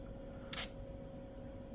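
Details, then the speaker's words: HP PhotoSmart 210 digital camera from 2000, on four AA batteries, at switch-on: one short sharp buzzing whir of a fifth of a second over faint hum; lens extends normally, just loudly. "very noisy camera with 4 megabytes of storage on the CF card"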